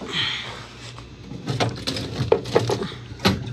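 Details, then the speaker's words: Scotsman ice machine after ice-thickness adjustment: quiet hum, then a batch of ice releases in sharp clunks and rattles; now slightly too thick but heavy enough to fall, harvest working properly. "that is a little too thick it definitely gave it the weight that it needed I about shave off about a 16th yet but yeah it's obviously very sensitive but I think that's going to be good enough for now"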